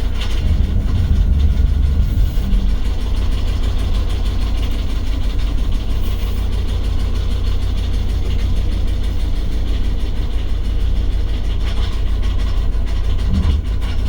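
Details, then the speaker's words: Old OBS Ford crew cab truck pulling out of the driveway for a test drive: heavy uneven low rumble with no smooth rhythm, engine running rough and billowing smoke out the back; cause not determined. "gosh that does not sound good oh it is just billowing out the back"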